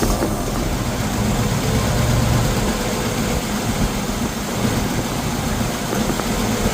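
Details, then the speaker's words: 1951 Ford F1 flathead V8, first run after sitting over 20 years, idling: steady low rumble with no misses, knocks or ticks; running smoothly and evenly, though an oil leak is noted. "It's actually idling. Nice."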